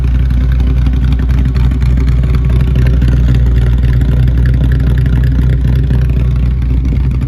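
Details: Foxbody Mustang supercharged V8 on Pro M EFI, first start after being timed to cylinder one top dead center, running with loud deep steady rumble, even beat, no knocks or misses; normal running.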